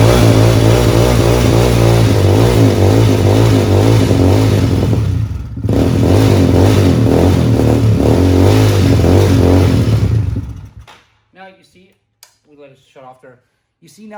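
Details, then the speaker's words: Venom motorcycle just out of storage: engine idles steadily, sags once, then dies abruptly; stalling caused by air pockets in the fuel line to the carb, cleared by removing the line from the carb to feed gas directly. "see now that when I removed the fuel line from the carb, it just gave direct gas to the carb. It took all the air lines, or all the air pocket out."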